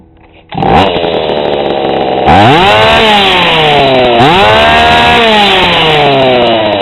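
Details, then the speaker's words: GoPed GSR40 two-stroke with 603 carb and TGN manifold, bench-tuned and given revs: it gurgles, blubbery and muffled at top speed instead of revving really high. The high-speed needle is set too rich. "yeah it definitely sounds pretty rich you get that gurgling sound at top speed instead of revving really high"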